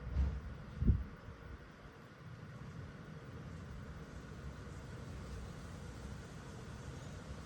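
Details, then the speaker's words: Portable Chinese diesel heater in an overland case, after shutdown with hot air still about 130 degrees: after a couple of bumps the fan runs a low, even whoosh with no knocks or rattles; normal fan cooldown. "pump immediately stops going and if it's you guys can even hear it the fan is now running through its cooldown procedure"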